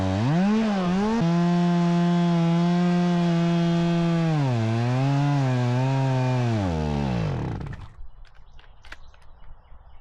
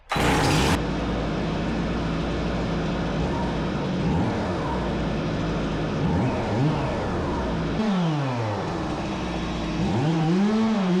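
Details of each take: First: Stihl MS 270C chainsaw when hot, after about 8 minutes cutting: steady scream sags and wavers, then the engine dies; bogs down and stalls only when warm, fine cold; cause suspected, not confirmed. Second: Stihl MS 270C chainsaw that bogged down and shut off only when warm, after fix, on 50:1 ethanol-free premium fuel, engine hot, cutting 15-16 pieces: high steady buzz dipping and recovering cleanly without bogging; normal running under load.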